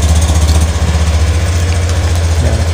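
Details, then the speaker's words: Honda Beat Street 2022 scooter (fuel-injected) started remotely via an aftermarket alarm remote's starter button pressed twice quickly; smooth, even low-pitched putter holding a steady idle with no misses or knocks, normal idle. "Kemudian untuk tanda petir ini adalah untuk starter motor dari remote ditekan dua kali agak cepat"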